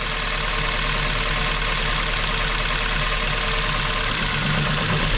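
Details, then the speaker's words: Hyundai i30 at idle, uneven and lumpy with an irregular stumble: engine misfire and rough idle. A coil-swap test traced it to a faulty ignition coil, originally from cylinder 1. "A jak możecie zobaczyć silnik bardzo nierównomiernie pracuje czyli coś się dzieje"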